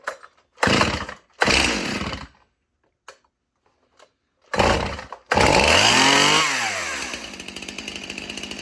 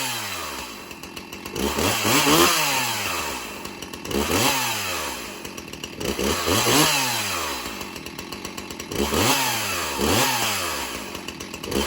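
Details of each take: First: Stihl Farm Boss chainsaw, chain on the wrong sprocket, not held wide open: short revving bursts with a harsh rattling chain clatter over the engine. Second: Stihl MS361 Farm Boss chainsaw with 20-inch bar (does not smoke cold); engine revs up and drops back about every two seconds, pitch climbing and falling cleanly with no misses; healthy, crisp-running saw.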